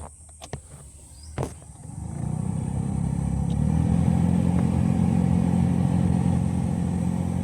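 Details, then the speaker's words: Car AC blower switched on spins up into a low, rough grinding drone that pulses about four times a second, traced to a foreign object in the fan. "तो आप लोग सुन सकते हैं ऐसा आवाज आ रही है।"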